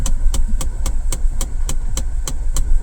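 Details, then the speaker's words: Mahindra Bolero Neo, engine idling after start: a sharp, even tick about four times a second from the dashboard corner, mechanical-sounding; a solenoid valve or similar part is suspected, source unconfirmed. "आप देख सकते हैं एक आवाज सी आ रही है खटखट खटखट सी आवाज आ रही है इस कॉर्नर से"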